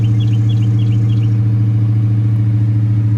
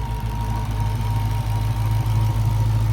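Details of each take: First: Hellcat Redeye supercharged V8 that kept stalling, started with the rear-rail fuel pressure sensor unplugged: deep heavy burble holding a steady even idle with no stumble; faulty fuel pressure sensor. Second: Hellcat Redeye supercharged V8 just started after fuel rail with fuel pressure sensor fitted: deep even idle, regular firing pulses, no stumble or stall, no engine light; normal idle.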